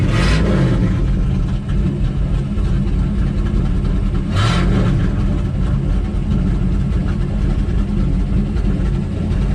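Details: Square-body Chevy Suburban V8, running on a known-good carburetor, previously wouldn't run: loud steady running with sharp blips and uneven low idle; idle circuit needs work, probably the carburetor (suspected).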